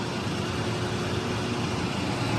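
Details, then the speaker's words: Used Rapid 4000 A 9 V air-cooled rectifier, 230 V three-phase, 45 kW, remote control, tested: steady even hum and fan rush with no rattles, surges or buzzing changes. Normal running. "Look at the back there. We will come back around, turn this on so you can see and hear it go."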